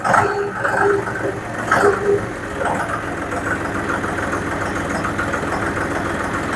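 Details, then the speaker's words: John Deere 5055D tractor diesel after fuel tank sludge cleaned, outlet screen replaced and fuel primed, earlier choking for fuel while bush hogging: steady, even run with smooth beat, no knocks or misses, revved to about PTO speed, runs great. "I revved it up and wrote drove around just a little off at the uh PTO speed so that uh make sure it was getting good fuel it ran great"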